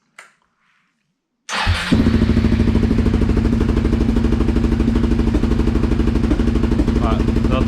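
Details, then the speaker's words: Suzuki SV650 V-twin under restoration, after refitting intake pipes with sealant on old gaskets: idles unevenly with recurring sharp exhaust pops from front cylinder and stumbling beat, won't rev; backfiring persists, owner to check for air leak, cause unclear. "Bon, c'est malheureusement un échec, ça pétarade toujours."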